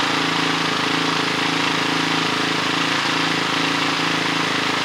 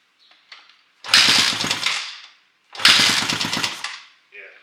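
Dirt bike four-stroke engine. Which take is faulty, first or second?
second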